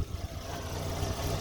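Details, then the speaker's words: Rental car with the check engine light on; owner suspects a cam or crank sensor, not confirmed: low idle with an uneven, stumbling beat and a missed pulse now and then; rough idle. "it's even not running right you can hear it"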